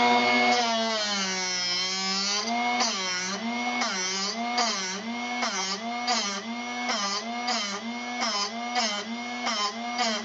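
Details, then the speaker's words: Drill Doctor 750X sharpening a drill bit: steady motor whine warbling about three times a second as the bit turns against the wheel. The grind sound diminishing signals it is time to switch sides; a normal sharpening grind. "Okay, I can hear it starting to diminish its grind, so let's go to the other side."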